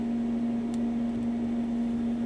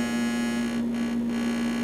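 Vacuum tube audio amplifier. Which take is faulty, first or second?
first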